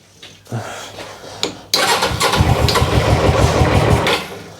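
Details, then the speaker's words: GS motorcycle that sat for 3 years, first start after the oil was topped up, on choke: fires after weak cranks, runs lumpy, then revs sag toward a stall; owner suspects a blockage from sitting. "Still don't like the revs. No, don't like choke either. Oh, come on. No, I can hear it slowing."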